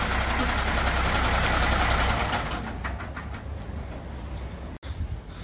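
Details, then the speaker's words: Heavy truck that broke down 500 yards from work: heavy diesel rumble with faint repeated knocking and squeaking as it slows; propshaft was suspected, but the verdict was a failing gearbox. "oh that's not sounding very good and if you could hear that knocking and squeaking"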